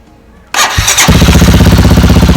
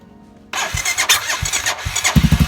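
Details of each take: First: Motorcycle with a bad battery, third start on a small jump starter: short crank then fires right up into a steady even thumping idle; normal engine start. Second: Motorcycle with a really bad battery on its first start attempt, using a new, uncharged small power-bank jump starter clamped to the battery negative. A few uneven, labouring cranks, then it catches and settles to idle. Hesitant cranking from the weak battery.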